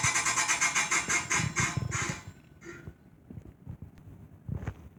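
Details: Chefman appliance: a harsh, gritty rasp pulsing about three times a second for two seconds, then stopping; grinding noise, cause unknown.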